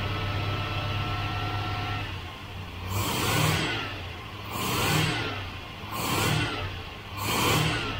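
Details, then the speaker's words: 1972 Range Rover (A suffix) V8 after fuel leak work; suspected float valves. Idle steady, four even throttle blips rise and settle cleanly with no stumble; engine runs rock steady. "it's rock steady isn't it"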